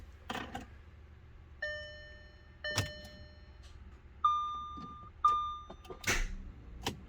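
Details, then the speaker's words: 2009 Audi A6 3.0T with seller-installed new starter, ground cable just reconnected, battery drained and low: dash chimes, then one sharp click and no cranking. Cause not confirmed at this point; the engine was later found to be seized. "Oh, I got a click. Let's go. Let's go. That's good. My battery's low."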